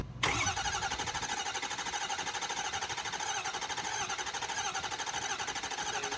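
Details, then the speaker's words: 6.4 Powerstroke diesel, crank no-start: starter cranks steadily at about 1.5 pulses a second without catching; rail pressure builds only very slowly to about 400 psi, not an air pocket, high-pressure fuel pump failed and needs replacing. "it's not an air pocket because it builds up continuously very slow all the way to 400 pounds and then i haven't decided to crank it longer after 1400 pounds because it takes a long time damn we gotta do a pump"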